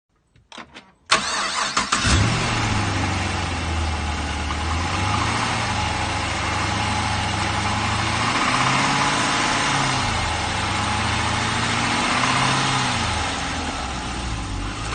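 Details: LS3 V8 at about 40,000 (units unstated) cranks, fires and settles into a lumpy idle with a dull, hollow knock underneath. Owner suspects piston slap, not confirmed.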